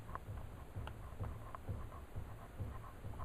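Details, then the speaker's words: Mercedes 190SL steering, idler arm wiggled by hand: faint dull clicks and knocks about three a second with each wiggle; worn, loose idler arm bushing needs replacing, steering gearbox probably needs replacing and resealing. "I should not be able to wiggle it and make noise like that so we need to do the ey AR bushing"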